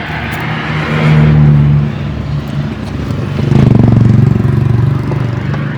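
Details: Chevette after starter motor repair for a noisy starter and hard starting, battery 10.8 V: quick even cranking catches into a smooth run, no grinding or whirring; starter engages and disengages cleanly.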